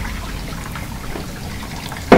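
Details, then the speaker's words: Whirlpool dishwasher after fill line reinstalled to fix low fill and undissolved detergent: steady splashing and swishing, louder than before with more water, one brief thump near the end; circulation pump washing normally with correct water level. "f the water getting pushed around by the circulation pump is a lot louder than it was because there's a lot more water in there"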